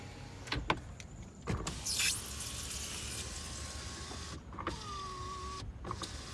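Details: 2010 Ford Expedition 5.4L, 121,367 miles, after a front-end collision: driver's power window motor runs in several short, steady whirs rising slightly as the glass stops; the windows work normally.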